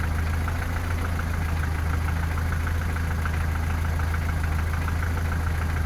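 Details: Toyota 3S engine in a VAZ 2121, after valve clearances, cam gear and cam journals were checked: steady idle with light regular tapping about four a second near cylinders 3-4 at the camshafts or lower; knock, source unknown.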